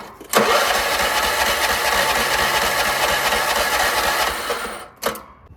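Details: Troy-Bilt 30-inch rear-engine rider: ether sprayed into the filterless intake, starter jumped at the solenoid. It grinds over steadily for about four seconds with no catch. Spark check finds a rusty plug and no spark.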